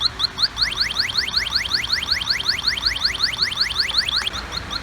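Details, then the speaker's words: Handheld electronic halogen refrigerant leak detector (Pittsburgh Automotive, Harbor Freight 92514), nozzle pointed at the A/C evaporator case drain tube under the raised vehicle: beeping speeds up to rapid regular chirps nearing the leak, confirming an evaporator core refrigerant leak. "Now just pay attention to the beeping. The faster you hear the beeping, the closer you're getting."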